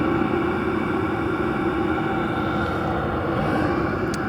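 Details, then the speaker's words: VEVOR Chinese diesel heater at full power: exhaust gives a steady rushing roar with a faint even hum, no knocks or rattles, about 1.5–2 times louder than a typical natural-gas PVC outlet; normal exhaust noise. "So, it's hard to tell the noise level out here I would say is a little bit louder. Maybe one and a half times to twice as loud as your typical, you know, PVC pipe outlet um on a natural gas"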